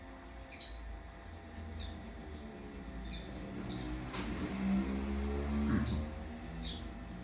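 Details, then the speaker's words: 2004 KDK industrial ceiling fan B56X5 on speed 3: low hum with faint tick about every second as loose motor shaft lets light kit shake and bulb tap the glass; light kit rattle. "The light bulb will kind of hit against the glass a bit. Here it is on speed 3."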